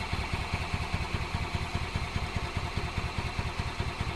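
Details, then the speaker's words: 2005 Club Car Precedent gas golf cart, newly fitted fuel pump: steady rhythmic cranking chug that never fires because the new pump hasn't primed and no fuel reaches the engine; crank no start. "we gotta prime this one sometimes you got to give them a little blast of fuel to prime the new pumps"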